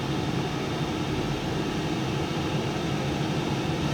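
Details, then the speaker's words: Cosori Turbo Blaze 6 L air fryer on air fry mode, fan at full speed: steady airy whoosh with a low hum, level and not getting louder, no rattles or scraping; normal fan operation. "The fan speed is picking up. Sounds like it's about to take off down the runway. But it's not getting louder, and it is at full speed."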